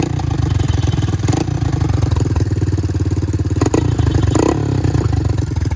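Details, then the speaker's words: 1984 Honda ATC 200 three-wheeler single-cylinder engine run during oil change to recheck the oil level after refilling; steady, even low thumping with regular firing pulses, no knocks or misses, normal healthy idle. "So what I'm going to do is to start up the engine, let it run for a bit."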